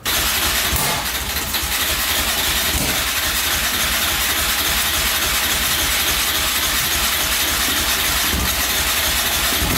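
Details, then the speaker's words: 2004 Yamaha Raptor 660 quad, gas down the carburetor, choke cable pulled by hand because its lever is broken: steady starter churn with a brief uneven catch partway; it stirs but won't stay running, owner thinks carbs badly need cleaning. "Oh, it stirred up there for a sec."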